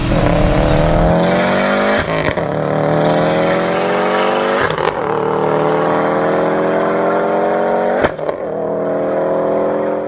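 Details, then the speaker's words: Subaru STI after engine reinstall and new clutch, no-crank no-start fixed by repairing a bad ground at the TGV: revs climb cleanly several times, steady tone between throttle lifts, no stumble or misfire. "So I went back in the car and it started right up."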